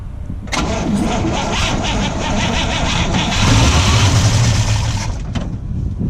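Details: Oldsmobile Rocket 88 V8, not started in over 20 years, fresh fuel poured down the carb, tank empty: steady starter churning about four turns a second with a few ragged catches as it tries to fire.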